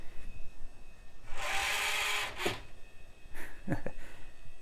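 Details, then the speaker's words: 1990s HP Vectra tower PC with Pentium MMX: CD drive tray ejecting gives a harsh, raspy grinding burst about a second long then a few knocks, like nails on a chalkboard; drive otherwise spins and reads. "like nails on a chalkboard"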